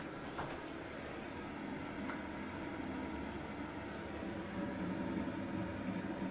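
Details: Kohler toilet with a Fluidmaster 400 fill valve: a steady hiss and gurgle of water trickling into the tank without pause as the fill valve keeps cycling, so the toilet runs constantly; a bad tank seal is suspected, not confirmed.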